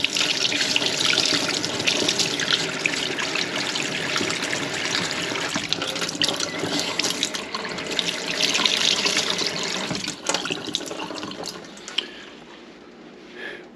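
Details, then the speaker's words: Well water from a house tap after fixing surging, cycling pump by pressurizing the pressure tank to just over 50 psi: smooth, even rush of water with no pulsing or surging; fixed. "no surging this is a clean flow of water"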